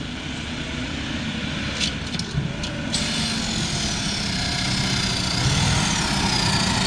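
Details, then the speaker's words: Jeep driven for the first time in 24 years after freeing a seized engine: loud rough raspy roar swelling under load after it hit second gear hard, bad smell; owner suspects blown exhaust, unsure; abnormal engine noise. "Don't know what that is, but it sounds bad. And it smells worse."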